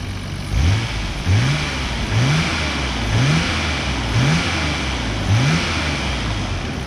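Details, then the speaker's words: Healthy petrol engine revved five times from idle for comparison with a blown Nissan R32 engine: each rev rises sharply and drops back cleanly, responding quickly, engine in good condition. "it responds quickly. This engine is in good condition."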